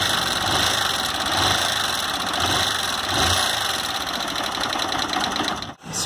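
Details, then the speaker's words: Fan 160 motorcycle run 2,000 km on the same oil: quick, even ticking over the single's idle; oil starvation wore the valve adjuster screw and valve tip, not the cam chain; top end must be rebuilt. "ele desgastou a cabeça da válvula marcou o parafuso por isso que ela tá fazendo aquele tec tec aí"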